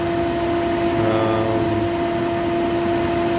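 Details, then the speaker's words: Old original cooling fan on a 1998 Jeep Cherokee two-door 4WD, recorded outside the vehicle before replacement: steady electric hum with constant tone and soft airy rush; owner notes cabin vibration, overheating issues in 40°C heat, tone changed and quieter with age, cause unconfirmed. "I think the fan might be okay but it has changed tone over the years so it's a little quieter"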